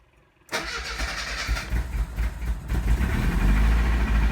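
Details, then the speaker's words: JH engine, very cold start after sitting weeks, carb bowls refilled, cranked to prime, choke pulled: catches at half a second and settles into a steady, slightly uneven low rumble; healthy cold start. "Okay, so now I'm going to crank it a couple times. It almost started."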